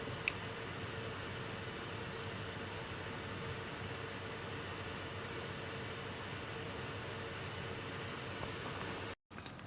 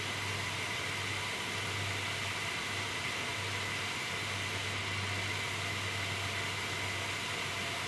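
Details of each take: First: MSI R7950 Twin Frozr overclocked to 1000 MHz core, power limit +20, after 10 minutes' running, fans at 48% like stock: soft, steady airy whoosh with no ticking, buzzing or grinding, normal fan operation. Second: MSI R7950 Twin Frozr overclocked to 1100 MHz core, 1500 MHz memory, 74–75°C, heard close up: loud, steady airy rush with faint high tone, too loud.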